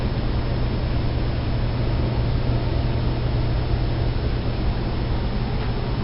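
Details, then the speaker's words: Newly installed air handler in a bedroom, return and supply ductwork finished, running for heat: steady even airflow rush with a low hum, no knocks or rattles; the vent air is louder than the air handler itself; normal running. "the air coming out of the vent in here actually makes more noise than the air handler does it's running right now"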